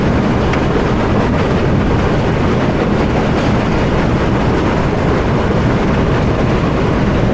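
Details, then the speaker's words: Powerscreen PT330 jaw crusher, worn toggle plate, before repair, jaws closed to about 70 mm: heavy rough rumble with constant crunching and banging over the diesel; noisy jaws. "Right, so I'll just show you the crusher working at the moment. We're going to do the work on shortly. Noisy the jaws are, yeah?"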